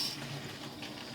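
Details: Jeep Cherokee fuel pump, suspected failing because fuel pressure bled down after shut-off, running to drain the tank through a hose on the pressure bleed-off tool: a steady rushing hiss of fuel flowing over a faint pump hum. The pump is running.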